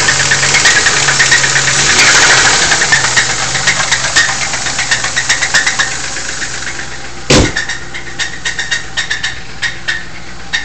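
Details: Lincoln LS engine idling with a steady, deep metallic knock about four times a second from a spun rod bearing.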